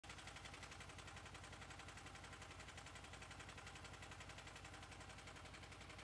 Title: Honda VFR800 VTEC engine clicking sound